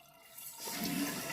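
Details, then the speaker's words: Toilet with newly replaced Fluidmaster fill valve keeps running past the set water line: water hisses steadily without shutting off, stopping when the flapper is pushed down; leak past the flapper. "but it keeps going where's the water draining to is it the flapper it's the flapper y'all hear that"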